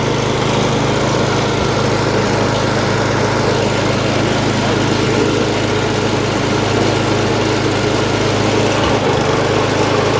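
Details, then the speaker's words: MTD snowblower sat about a year, revived with fresh gas plus cleaner, primed, choked, throttle about half: steady even single-cylinder drone holding speed without surging or missing; runs well, auger works. "okay so as we just saw this thing runs pretty pretty well and I also showed you guys the auger works so that's good"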